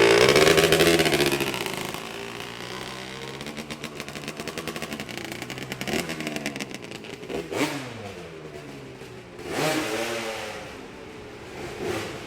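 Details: Honda 250R two-stroke with a 390PV CEO motor, after richening the mixture (it was ratty before): crisp revs climbing and falling cleanly with a steady crackle, no stumbling or flat spots; normal running.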